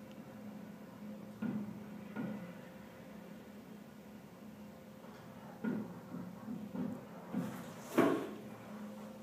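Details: Condenser water loop with cooling tower, pump surging and stalling suspected from sucking air or cavitating: irregular heavy clunks and knocks in bursts over a low hum as a sprinkler pipe near the condenser pipes bangs in the ceiling.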